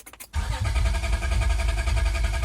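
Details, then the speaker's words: 2003 Honda Accord V6 with freshly swapped engine (previous one had rod knock), cranking with fuel pump fuse pulled to build oil pressure before first start; strong, even cranking at good starter speed, oil lights then go off; normal cranking. "Crank it a couple of times, the oil light should go off. Sounds pretty strong."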